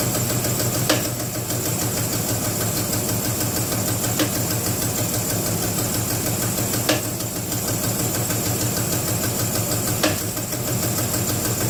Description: I have a 2006 Jeep Grand Cherokee with this engine knock. Can someone help identify this sound.